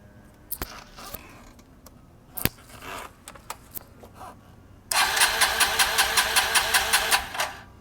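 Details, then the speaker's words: 1985 Honda Elite 150 scooter during carburetor fuel-leak diagnosis (later traced to fuel bowl gasket), vacuum fuel line drained: starter whirs with even compression pulses about six per second for under three seconds; normal cranking. "let's crank it see if it I mean obviously it works because it runs"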